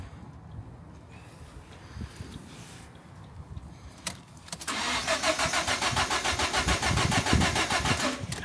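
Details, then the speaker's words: Salvage Ford KA with a new battery: starter cranks steadily at about three and a half turns a second with even compression pulses but never fires; crank-no-start, crash fuel cut-off suspected. "there's nothing there at all so it's cranking nice"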